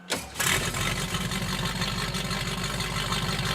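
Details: 1971 Datsun 240Z "Rotsun" after fixing the unconnected alternator excite wire: a quick crank, it catches within half a second and settles into a steady, even idle. With a very dead battery, charging voltage climbed as it was revved.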